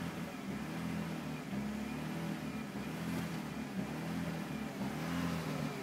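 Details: BMW E46 after replacing the DISA, engine mounts, PCV/oil separator and hoses, spark plugs, fuel filter, fuel pump and water pump: idle smooth from startup, but after a throttle blip the rpm hunts unevenly about once a second; cause unknown.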